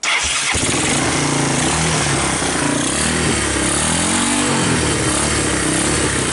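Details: 1986 Honda TRX200SX Fourtrax ATV, abandoned in bushes and unstarted for years, first start on choke with key switch bypassed: catches after a brief crank and settles into a loud, steady, even beat with wind noise; normal running.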